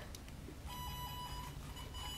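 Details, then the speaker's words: Installed front right speaker wired with no receiver, fed by an IDEAL analog tone generator (62-140) on the speaker wire: steady high warbling tone over the room hum; the wiring reaches the speaker. "if you already look up the speaker up there the speaker will actually make some noise if you just use this part here"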